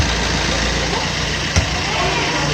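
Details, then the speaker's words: Diesel Multijet engine, imported replacement engine fitted and quietened, heard near the logo: soft, even idle with steady low hum, no knocking or clatter; healthy quiet engine. "Bu da sessiz ama bu Muazzam sessiz anlatacaklarımız bu kadardı mulet sesli bir motor değil aslında Gayet sessiz bir motor"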